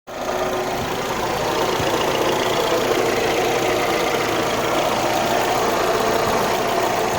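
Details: VW Golf 3 1.6 petrol engine: dense rasping rattle over steady hum, weird noise of unknown cause.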